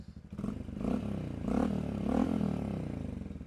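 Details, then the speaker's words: 2024 Honda model, warm after choke start; small single revving smoothly with a steady, throaty exhaust pulse, refined yet throaty, no knocks or rattles; a normal exhaust note. "much more refined and civil, but still throaty enough to sound cool."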